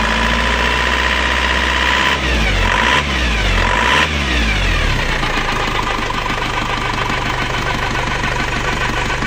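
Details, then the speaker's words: Penta AE 1558 diesel just rebuilt with new rings and two worn timing gears replaced, crankshaft gear and connecting gear; now idles rough with a jet-like droning whine and wung-wung beat, though smooth before the rebuild; timing gear whine from mismatched gears. "mesinnya hidup malah kasar suara suaranya itu bunyi enggak enak seperti kotor-kotor itu suaranya itu seperti ini jadi suaranyaedenging denging dengung suara enggak bersih kurang halus"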